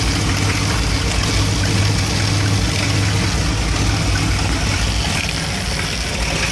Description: Issue with 1975 Dodge B200 Tradesman 200 Mopar 360 5.9L small block 2bbl rough idling and stalling when warmed up.